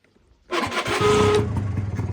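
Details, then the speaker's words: Honda Dio 100cc two-stroke scooter, start before a test ride, owner wearing helmet; harsh scraping rasp nearly a second as starter engages, then runs; owner says overrunning clutch works very badly: starter clutch grinding. "обгонка дуже гедко роби Я не знаю чи мене чути Я в шльомі"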